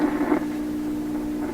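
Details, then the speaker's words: 1928 RCA Victor Model 28V radio: constant low, distinct hum at one pitch under faint noise; power-supply hum whose source could not be found despite repeated attempts. "hum is definitely annoying that's that's a pretty darn distinct"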